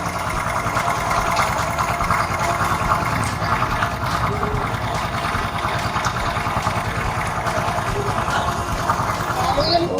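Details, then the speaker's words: 2007 Honda Supra X 125 D PGM-FI, its first fuel-injected model, kick-started: light quick tek-tek ticking, about three a second, over a smooth, steady single-cylinder idle. This is normal injector tick, not loose valve clearance. "Only the body is cracked or broken, and right here there is a sound like tek tek tek, that's the sound of injection. Not the sound of a loose valve setting, but this is the sound of the"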